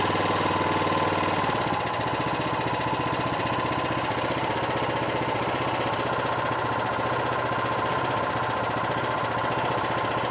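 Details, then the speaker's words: Honda GX390 engine after repair of hard starting and harsh rattling noise: smooth, even single-cylinder beat at steady idle with no knocking or rattle; normal idle, ready to return to owner. "sudah normal sekarang, teman-teman. Ini bagus sekali. Sempurna dan siap digunakan."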